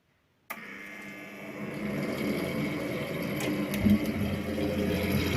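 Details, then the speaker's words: Ariston balanced-flue (wall-vented) household heating boiler, cover removed: fan spins up into a buzzy, uneven rattle on its hum, about three beats a second; broken silicone fan mounting bushings, pump silent, bearing replacement planned. "чутьчути от Звідки йде шум о втулочки силіконові розбились"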